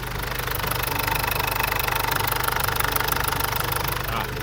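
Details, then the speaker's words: Ford Ranger / Mazda BT-50 diesel idling after repair of a combustion leak past the injector sealing washer (blow-by noise at the injector now gone); steady even clatter, no hiss or puffing, normal idle. Full fix may need cylinder head thread machining or replacement. "อ้าช่างอาร์มลองสตาร์ทเครื่องดิ๊เสียงหายมั้ยเสียงเสียงที่แรงระเบิดมันรั่วตรงแหวนร่องหัวฉีดเนี่ยอ้าตัดนี่เงียบแล้วเห็นมยเสร็จเรียบร้อยไม่รวแล้วนะนี่เดี๋ยวให้ฟัง"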